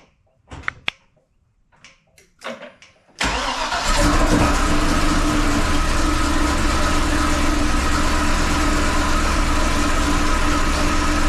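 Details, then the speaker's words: 2005 Chevy Corvette, first start after head gasket replacement with new head studs and headers: a few starter clicks, then it fires cleanly and settles into a steady, even idle with no knock or miss; normal start and idle. "oh all right guys the car started without any major issue"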